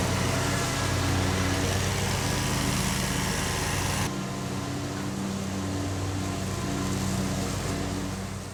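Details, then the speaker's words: Lawn mower with intermittent running problem, after fuel pump replacement, mowing for 40 minutes; steady drone with even beat, no stumbles or surges – normal running, problem apparently fixed. "so I've been mowing now for 40 minutes I've got this whole area up front along the side of our property where we have all these Chestnut trees planted I've got it all mowed and this thing did not mess up on me a bit didn't miss a beat"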